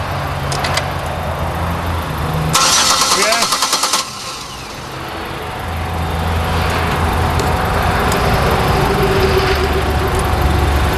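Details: Buick Lucerne with GM 3.8 V6 brought in as crank-no-start: starter churns with an even rapid beat for about a second and a half but the engine never fires; a blown electronic ignition fuse was found, crank sensor also suspected.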